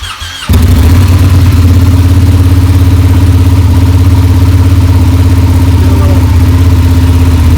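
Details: Ducati Panigale twin back together after heat-reduction work: catches quickly and settles into a deep, even, lumpy idle with no knocks or rattles; sounds healthy.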